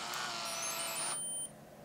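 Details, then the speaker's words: Powering on a point-and-shoot digital camera from an untested auction lot: short electronic chirps, lens-motor whir, SD card being read, then quiet; normal healthy startup. "it's like an old computer starting up kinda so uh yeah starts up again SD card is being read"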